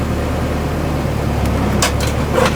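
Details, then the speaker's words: 5th-gen Honda Civic EG hatch with swapped-in 6th-gen D-series transmission, driveway test: steady engine drone pulling away in first with light clunks, no grinding; first gear engages cleanly after swap. "Well, there's first, bro. Look at that. No grinding."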